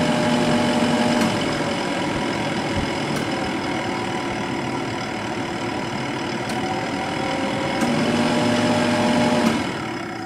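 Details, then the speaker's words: 1997 Sharp 8,500 BTU window air conditioner, R22, starting on high fan with compressor delayed: steady fan hum with a faint wavering drone from fan motor bearing noise present about 15 years; recently oiled, no play, spins freely. "like I said that bearing noise did you hear has been been there for like the past 15 years and I just took this thing apart and oiled it so I'm not worried about it"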